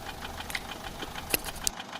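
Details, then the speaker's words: Peugeot 407 1.6 HDi diesel idling, slight white smoke from the rear: rapid light ticking with a few sharper clicks from the top end; mechanic suspects valve gear or tappets, with other causes possible; unconfirmed. "اللي هو من فوق لان نسمعوا فيه صوت يعني ينجم يكون الاربع كامل"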